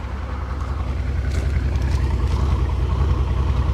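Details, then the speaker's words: Mercedes SL600 R230 V12, 100,000 miles, idling with intermittent lumpy misfire while check engine light flashes; it has also randomly died and won't restart. "Ah, it's doing something new. It's misfiring."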